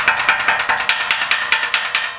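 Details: 2017 Camaro 2SS 50th Anniversary Edition with Corsa valved exhaust (NPP): sharp, hollow metallic rattles about five per second as the muffler is shaken, the loose internal valve flapper knocking; string stuffed inside helped only a little.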